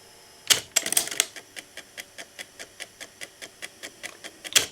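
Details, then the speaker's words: Technics RS-T80R double cassette deck playing in one direction: evenly spaced sharp squeaks about four per second from the transport, silent in the other direction, same in both decks; owner suspects degraded gears typical of these Technics decks. "When we put the plate the tape to to the plate we press play in the direction you can hear squeaking noise which is not present if we if we change directions."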